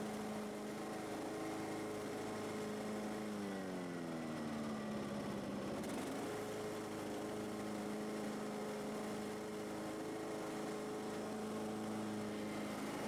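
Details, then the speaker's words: Husqvarna YTH18542 riding mower after deck rebuild with new parts, old belt refitted; engine dips briefly under load then recovers and runs evenly, cranks, cuts, no squeal; job successful, though mower still shakes. "okay it cranks it cuts it goes doesn't squeal so i'm gonna say the job is a success it works"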